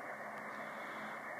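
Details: Receiver noise on the 80/75 meter ham band after unplugging the CenturyLink DSL modem: steady dense hiss with a faint buzz, no signals; the floor dropped a bit but is still bad higher up, owner suspects neighbours' DSL.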